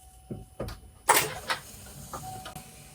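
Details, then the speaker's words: Rebuilt salvage 2024 Buick Enclave Avenir, first start attempt after coolant bleed and fuel prime: half a dozen sharp dry clicks, about two a second, no cranking; battery at 11.74 V, too low to crank. "put is on brake okay just clicks nothing yet just that clicking"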